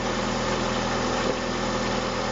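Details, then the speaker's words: VAZ 2170 Priora engine after 10 minutes warm-up, on 10W-40 oil with additive: smooth, even idle with a steady low hum and no lifter ticking or knocking; the knock was blamed on an ignition coil. "Ну вот после 10 минут работает двигателя прогретого уже мы видим щоб ближчим вернее все никаких посторонних звуков стукав не обнаружено"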